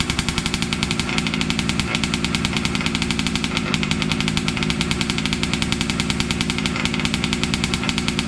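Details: Losi 5T 2.0 gas two-stroke RC truck on VP fuel after about four to six months stored, primed and choked, started on the workbench up on tires: a rapid, crackling buzz at a steady fast idle, firing evenly with no misses; normal running.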